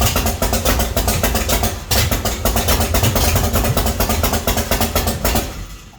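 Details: 1966 Chevy C10 rat rod after reinstalling the distributor and adjusting the oil pump drive, timing not yet checked with a light: engine catches and settles into a quick, even firing rhythm with a slight rev; normal start.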